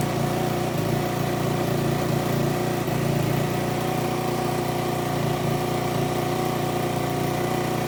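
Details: Aprilia SR50 Purejet scooter, Piaggio two-stroke, after rebuild with new crankshaft and original cylinder and piston refitted, holding an even, buzzy idle with no misfire, stumble or rattle; now starts and runs cleanly, revving to 9000 rpm.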